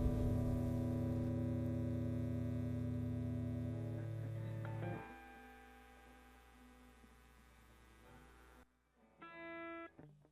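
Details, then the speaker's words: Egnater Tweaker 15 head through a Rivera Mini Rock cab after replacing capacitor C15 (0.022 µF 400 V) to fix red plating on the V3 6V6. Clean sustained chords ring and decay without hum, crackle or dropouts, and no red plating. "I got it going through a Rivera mini rock wreck, and okay, so okay, that sounds pretty good. So far so good. I don't see any red plating. It sounds decent."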